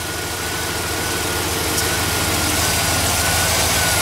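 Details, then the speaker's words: GMC Denali V8 first run after repair, with new serpentine belt and fresh oil and filter and earlier ticks gone: fast, steady puffing pulse over a rough idle rumble from a couple of exhaust leaks. "you can hear a couple of exhaust leaks, but alrighty. She freaking runs."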